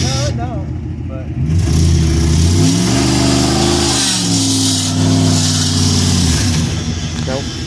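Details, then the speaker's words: 1994 Dodge Ram half-ton, bought as a non-runner and started on a new battery: the engine climbs and drops through uneven, wavering revs, and the owner can't tell if it has a knock; rough running. "Ran's pretty [Music] bad"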